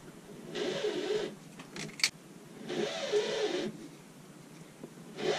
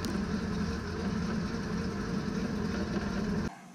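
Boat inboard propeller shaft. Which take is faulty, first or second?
first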